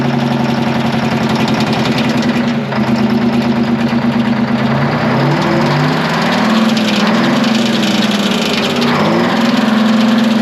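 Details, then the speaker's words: Twin-turbo Detroit Diesel 12V71 generator, abandoned in a field and just restarted, running steady with an uneven clattering rattle on top as the cooling fan blades hit the fan guard. "thing rattling in the fan is that what that is that rattling noise yeah it's hitting the the fans hitting the guard"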